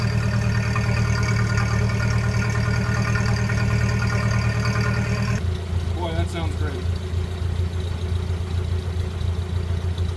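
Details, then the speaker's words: 1928 Ford Model A, warmed up after a drive, with a new Aries muffler exhaust fitted: a low, slow, even putter at idle. Normal warm idle. "I took it out for a ride. Got it all nice and warmed up. And boy, she's idling down nice now. And you can hear it. Sounds wonderful."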